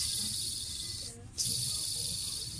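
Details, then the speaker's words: Opel Corsa 1.7 D during timing belt kit replacement: the small idler/tensioner pulley is turned by hand with the belt slackened and gives a dry, high-pitched hiss that briefly stops. It is noisy and even stiff to turn, from a worn idler pulley bearing. "Ah, d'ailleurs on entend. Il est bruyant le petit."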